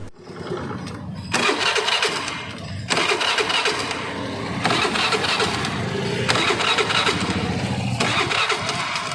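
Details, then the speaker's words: Honda Activa 5G scooter, crank no-start: starter spins in short bursts that cut out and restart, engine never catches; HT coil current comes intermittently, ignition spark fault from wiring harness problem. "இப்போ பார்த்தீங்கன்னா self போட்டாலும் ஒரு சுற்றுது, மறுபடியும் stop ஆகிக்குது, மறுபடியும் ஒரு சுற்றுது, stop ஆகிக்குது."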